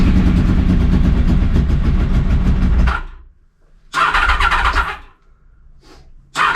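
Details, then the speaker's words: 30-year-old Honda VFR 750 V4 first start after replacing the rotten exhaust with a used stainless steel one: catches promptly, strong even rumble, clean throttle blips returning smoothly; runs healthy, white smoke believed from copper grease burning off. "The first thing I noticed, it sounds amazing. But there was a lot of smoke."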